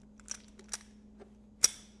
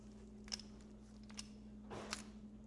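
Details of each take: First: Used 1973–1989 Mercedes ignition steering lock, key turned then released: quiet key clicks, then one hard sharp snap as the lock rolls into the column; dry, unlubricated steering lock, tumbler starting to notch. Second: Refurbished Mercedes 300D-type (1973–1989) steering lock, fully disassembled and lubricated in the shop, bench test: a few soft light clicks as the key turns and comes out, smooth with no grinding or snapping; lock working freely.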